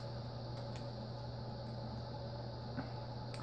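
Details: Envirofan Orange Line 36" cast industrial ceiling fan, model 136F-7, on a test rig with solid-state speed control; it was stiff, starting only at setting 9, and is believed to draw 0.8 A on high. A low hum with a rough undertone and light ticks: worn bearings, somewhat quieter after oiling and WD-40, likely still needing replacement.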